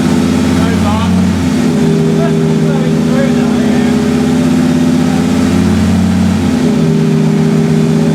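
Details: BMW E46 M3 with a V10 engine swap, after fixes including new earth straps and coolant pipes: an uneven, lumpy beat under a steady drone, as if a couple of cylinders aren't firing. It is misfiring.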